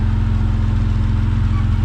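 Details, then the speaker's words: Vauxhall VXR project, turbocharged, after engine install and first start, a pipe refitted that had been left off causing rough running: deep, even idle holding constant speed, no misses or hunting; normal idle. "So she's all running nicely now."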